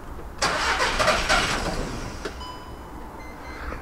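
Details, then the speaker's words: VW Caddy diesel van after fuel rail replacement, with fuel possibly needing to be primed through: the starter spins in an even churn for about a second but the engine does not catch. A cylinder 4 glow plug control circuit low code is stored, which the owner doubts causes the no-start. "okay that was better this time let's try that again now something's still not quite right there"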